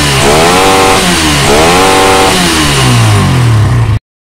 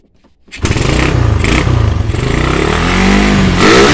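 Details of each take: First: Suzuki Satria FU motorcycle starts and idles normally, but when blipped twice the revs sag and stumble instead of climbing; misfire under throttle, will not rev, carburettor already cleaned. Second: Suzuki Satria FU motorcycle that would not rev, after the imitation regulator/rectifier was replaced with an original one: engine catches, runs steadily and revs up cleanly without stumbling; normal.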